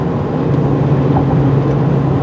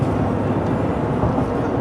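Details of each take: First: Chevy truck test drive after installing tire balance beads: steady road drone with rough shuddering undertone and rattles as speed rises, whole truck shaking; beads didn't fix it, owner suspects a bad tire. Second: Chevy 2500 pickup, 93,000 miles, on a road test about 5 miles in after balance beads were installed in the tires to cure a vibration: steady, even road and tyre rumble at the same cruising speed, no rear clanging; steering-wheel vibration gone.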